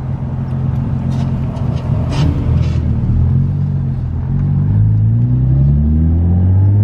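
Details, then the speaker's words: Nissan 350Z accelerating after the misfire repair and clearing the codes. The note climbs smoothly and evenly under load with no stutter or popping. It pulls strong and clean, with no misfire now. "not bad feels really strong now whoa feels pretty strong not bad not bad"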